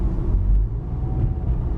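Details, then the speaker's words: 2010 Subaru Impreza with a newly installed Magnaflow 11366 performance muffler makes a deep, steady, throbbing drone as it pulls away; no rattle and nothing touching underneath, just normal exhaust resonance. "we're gonna move now dude if vibrates man you can hear that thing and it's not touching anything underneath it so that's just the sound of the waves man coming out of that exhaust"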